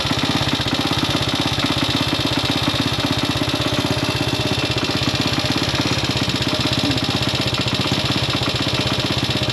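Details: Classic Italian Gilera 124 5V lightweight, fresh off the workbench, on its first proper road run: quick, slightly uneven idle of about three pulses a second, a little rough, with popping. Owner suspects it is only carburation; jetting, plugs and points timing are still to be checked.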